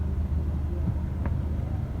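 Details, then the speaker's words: Nissan Navara diesel after clutch repair, which was previously loud with the clutch pedal released: steady low idle, now silent both with the clutch released and pressed, no chatter or bearing whine, normal. "ไม่มีความต่างนะครับก็คือมันเงียบตลอดนะครับทั้งทั้งตอนไม่เหยียบคลัทช์แล้วก็เหยียบคลัทช์นะครับ"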